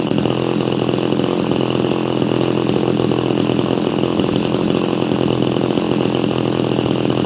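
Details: Chainsaw, apparently an XL Super XL Automatic, with all-factory unmodified exhaust, warming up after first getting it running: an even, steady two-stroke buzz with no misses or surging; pretty quiet and purring along nicely.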